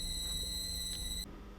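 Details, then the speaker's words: Induction motor driven by variable speed drive in a wind emulator, switching frequency lowered from 8 kHz to 2 kHz: loud, steady, much more intense high-pitched squeal that cuts off sharply; VFD motor whine from low switching frequency. "Ahora la vamos a bajar a 2 kHz. Y vamos a ver qué pasa. Prendemos ahora el variador. Como pueden ver, ahora se escucha un sonido, un chillido mucho más llamativo, mucho más intenso."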